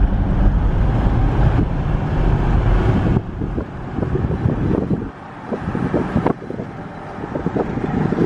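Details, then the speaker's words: 2009 VW Touareg TDI, 168,000 miles, about 6,000 lb, accelerating under load while driving: deep, strong turbo diesel drone pulling hard, partly masked by wind, no knocks or odd noises; healthy. "are being able to hear that turbo diesel going it's definitely fun this thing drives great so it's fun to to get into the power it's fun to hear this"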